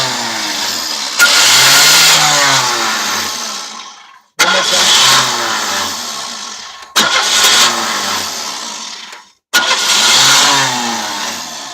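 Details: 1993 Oldsmobile Cutlass Ciera S: four cranking bursts of two to three seconds each, steady whirring turnover that never catches; it occasionally starts if gas is pressed. Owner suspects the starter, not confirmed.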